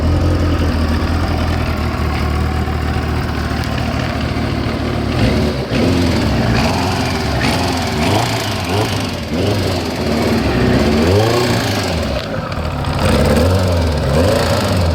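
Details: Kawasaki ZX-9R four-cylinder motorcycle revving with a metallic rattle over the exhaust, only under load or when revving, settling to steady idle; cam chain tension already reset and ruled out; a garage suggested crankshaft bearings, unconfirmed.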